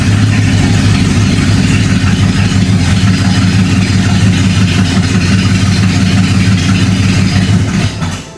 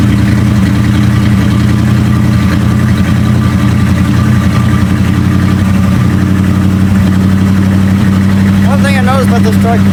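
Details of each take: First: 1976 Dodge W200, revived after sitting: engine catches and settles into a steady, even low rumble with no knocks or misses; normal running. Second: 1976 Dodge W200 tow truck V8, started after sitting a couple of weeks, fresh gas, not yet warmed up: deep idle with an uneven, lumpy beat and occasional dropped pulses; cylinders 7 and 8 misfiring intermittently, cause unknown, owner hopes not mechanical.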